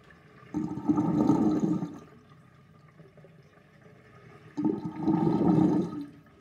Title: Old sinkdrain with universal sinkplug 38.5 mm with little whirlpool and gurgling sound